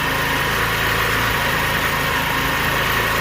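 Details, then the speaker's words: Scooter with a newly installed clutch just after a cold start: small engine buzzes at a raised, steady idle while the enricher is on; normal choke fast idle. "the enricher just came on so the backfire should spin when the enricher comes off the back tire should basically stop spinning if it just does a tiny tiny little bit it's not a big deal"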